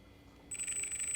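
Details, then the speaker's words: 3D-printed electric motor driven by an electronic speed control: a thin, high-pitched whine switches on and holds steady without winding up. The motor is getting power but the rotor is sticking and stalled. "It's trying to get that to rotate. That's an indication that it's sticking. It's getting power. We know it's getting power, but it doesn't have enough power to break free."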